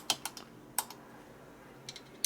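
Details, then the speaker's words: 2002 S&S 100ci Indian-style Evo motor, custom top-end mock-up turned by hand with no engine running: sharp uneven metallic clicks as the exhaust valve touches the intake valve; valve-to-valve contact. "Something big happens right there. It's valve to valve. You hear it?"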